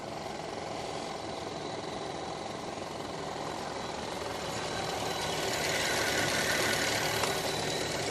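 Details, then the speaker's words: Copart Chevrolet Traverse parts car engine running without coolant: rough steady rattling hiss, three to four beats a second, likely fan being rubbed as something is pushed against it. "see what's going on which it sounds fine other than that ticking purge valve see like it's a ear leak somewhere I still can't figure that one out"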